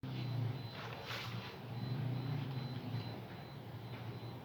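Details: Carbureted Yamaha Mio (Mio Sporty) scooter idling with a busy, loose rattle from the cylinder head: worn camshaft, rocker arms and valve caps, caused by poor lubrication, low oil or clogged oil passages.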